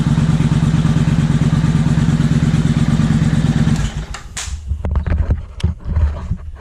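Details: 2000 Suzuki Intruder 800 V-twin, carburetors cleaned and just synchronized, engine cooled slightly: steady, even low beat at idle with no misses or hunting, then switched off. Normal idle.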